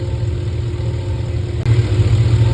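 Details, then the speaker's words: 2005 Cadillac Escalade EXT V8 after repairing a broken heater hose connection and refilling coolant: deep, steady idle with an even low rumble, no misses, ticks or knocks, and no leaks. "Okay, the truck's running. We filled it up with coolant, and there's no leaks."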